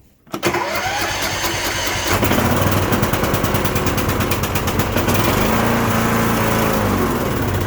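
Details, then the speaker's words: Cub Cadet LTX1045 riding mower with Kohler Courage 20HP engine, back after head gasket and valve work: cranks, catches and runs lumpy with popping and crackling. Dies off choke. Most likely bad fuel; the gas looks orange and smells bad, suspect water in the carb bowl. "seems like we've got a little bit of popping and cracking going on a lot of people no when that happens we'll think it's a valid issue or something like that it's most likely just a bad fuel issue here"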